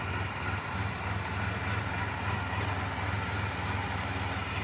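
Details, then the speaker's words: 1990 Mitsubishi Montero, timing being checked with a timing light: low, lumpy idle with no steady rhythm; runs rough, cause unresolved. "There doesn't seem to really be making any difference. So, we're gonna hit a little bit of a brick wall here temporarily. Thing runs runs terrible."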